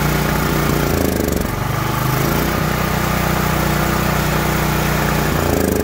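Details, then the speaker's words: Troy-Bilt XP 10,500W generator, Briggs & Stratton 2100 series engine: rough loping uneven running, only stays alive on choke after starting fluid; suspected bad gas, before carburetor replacement and fuel tank/line flush. "As long as I choke it, it's gonna stay running after starting it on starting fluid. That's just kind of a telltale sign, bad gas."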